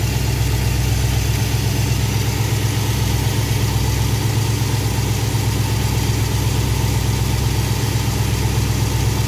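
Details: V8 with Thermoquad carburetor after baseline idle mixture tuning, idle 970 rpm with good vacuum, timing rechecked about 18–19°; steady, even idle, smooth low rumble, no misses or knocks; mixture and timing sound properly set.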